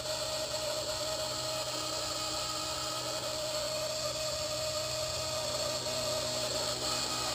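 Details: Blade 130x electric helicopter, under a month old with under an hour of flight time: a steady, piercing screech over the motor whir, sporadic at first and now continuous; owner suspects a main shaft bearing but doubts it because it is new.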